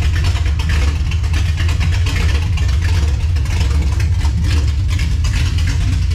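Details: 1967 Dodge Charger V8 with 727 transmission, restarted after first fire-up: strong even deep rumble, no misses or knocks, holding steady; normal running.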